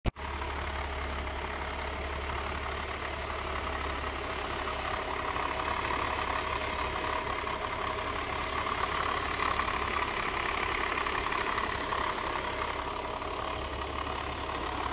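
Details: BMW M54 3.0 six-cylinder at idle: light uneven rattle from the intake side, suspected broken DISA intake valve.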